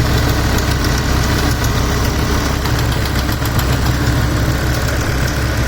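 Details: 2007 BMW M6 manual, S85 V10, warm idle: fast, light ticking over even hum, began after sitting months on old expired oil, persists after oil change, barely audible cold, obvious warm; source unclear.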